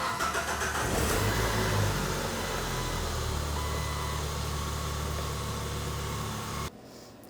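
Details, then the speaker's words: 2003 Jeep Wrangler SE 2.4L four-cylinder, manual, just after an oil and filter change, start-up checking the oil warning light goes out: catches quickly and settles into a steady even idle, no rattle or ticking; normal start. "So let's start it up, make sure the red light for the oil goes out."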